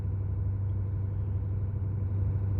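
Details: 2018 Ford F-350 6.7 Powerstroke diesel, 210,000 miles, after cold start as fan drops off: smooth, quiet, steady diesel idle with no knocking, ticking or surging; healthy.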